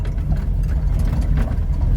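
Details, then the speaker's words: Ford Capri 3.0L V6 race car replica, first start after sitting 20 years: deep, steady burble with an even beat and no knocks, misses or hunting; normal healthy idle. "It sounds good. It sounds really meaty. Runs lovely."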